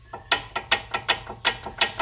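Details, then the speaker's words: 2003 Toyota Sienna front brakes, previous job used silicone instead of anti-rattle hardware, silicone removed: sharp dry metallic clicks about four a second, uneven, no engine, as loose pads rattle in the caliper bracket; heard with each brake application. "this is the noise you would hear every time you push the brake pedal so this is is why they put silicone in here"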